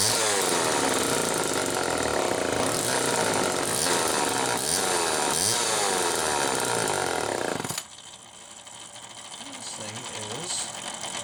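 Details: 1974 Homelite XL-2 chainsaw with early HDC carb, test run after air leak repair: screams at full throttle several seconds, then drops to a slightly uneven idle. Normal running.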